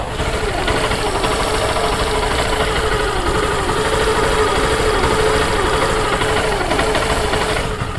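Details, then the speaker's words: Honda Shine BS4 after top-end rebuild for noise, smoke and RPM rising on its own (cylinder bored to 75, cam rockers, cam bearings and valve seals replaced): starts without trouble, smooth steady idle, constant pitch, no top-end tapping; healthy. "तो दोस्तों, bike start हो गई है, और start होने में कोई समस्या नहीं है। अब आइए इसकी आवाज सुनें और इंजन की स्थिति देखें।"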